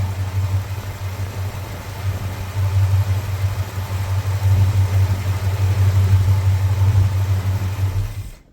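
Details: Plymouth Fury 383 big-block V8, first fire after carb and timing work. Steady deep burble, even and unbroken at a fast idle. Normal V8 running.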